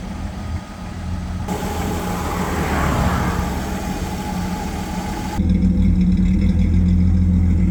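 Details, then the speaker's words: 1962 Ford Falcon with 200ci inline six, T5 manual, Holley Sniper injection, on road around 60-70 mph, about 2100 rpm at 65: smooth deep exhaust note rising and falling with throttle, no leaks or rattles; normal. "There's no shoulder belts. E brake works. Exhaust sounds good."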